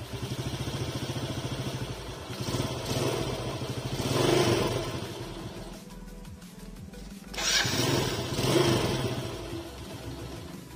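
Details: Yamaha Vega ZR after repair for a small ticking noise and lack of power, parts replaced and reassembled; small engine idles evenly and revs cleanly twice with no knocking or rattle.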